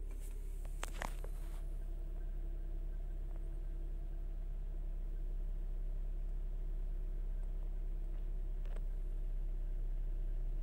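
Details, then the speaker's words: Chrysler/Dodge/Jeep-line engine (code P2173, vacuum leak/high airflow). Cold idle settling below 1000 rpm toward about 750 as it warms: a steady low hum with no surging or hunting. "ya está llegando a su temperatura a sus rpm normales debe estar como entre 750 aproximadamente"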